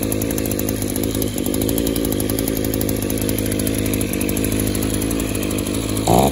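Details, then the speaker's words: Echo Power Edge 280 curved-shaft two-stroke edger that runs okay at wide open throttle but smothers and dies at idle; after the fuel system pressure test it screams at high revs but sounds rough and smothered, pitch wavering, loading up. Suspected clogged exhaust or scored piston/cylinder. "oh you hear that it still wants to load up it's going broke one of two things that could be exhausted stopped up and or the piston is cylinder could be scored"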